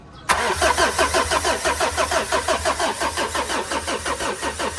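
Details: Mitsubishi Montero after cut wiring was repaired: the starter cranks steadily at about three pulses a second but the engine never starts. Cabin smells strongly, possibly flooded, and many stored codes include cam, crank and TPS; crank, no-start.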